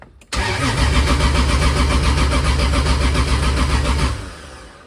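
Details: 2JZ engine at its first start attempt, oil pressure built beforehand: strong, even cranking at about four compressions a second for about four seconds with no firing. No fuel pressure and the fuel pump isn't turning on; injectors not firing.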